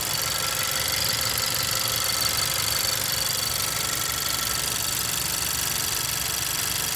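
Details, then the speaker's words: 2018 Honda Civic Si, warm idle: a thin, steady high whistle or squeak of unknown source over fast, light ticking, which is the normal injectors and high-pressure fuel pump; the owner plans a dealer check. "but is that squeaky noise I have no idea where it's coming from I tried looking around"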